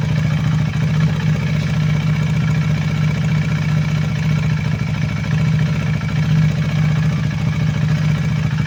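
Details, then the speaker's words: KTM Duke 390 V2 after replacing intake and exhaust camshafts and two rocker arms (oil passage had been blocked by gasket maker), valve clearances in spec: steady even single-cylinder idle with a faint light valve tick, normal for KTM; healthy. "So yun na nga po bale Yan na yung andar ng motor na natapos natin palitan ng cam shop yyung intake and exhaust pati dalawang rocker Arms so normal na normal sa ktm na meron siyang konting lagitik"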